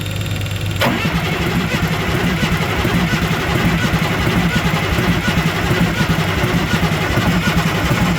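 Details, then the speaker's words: International 7.3L IDI diesel, ex-U-Haul truck sat in a field for decades, cold, jump box connected, some injectors open: steady starter churn about eighty per minute, never catching; glow plugs not working, return line leaking. "see we don't have any glow plugs either so we're kind of"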